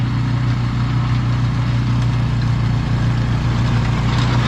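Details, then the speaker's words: Husqvarna snow blower with Briggs & Stratton Snow Series engine, morning after replacing gummed-up carburetor with new HIPA unit; cold morning, very cold oil, electric start. Steady, even low single-cylinder drone, no hunting or misses; normal running. "after swapping the carburetor out on this thing last night and it was running good it's the next morning we're just going to start it up see if all the controls work stuff like that"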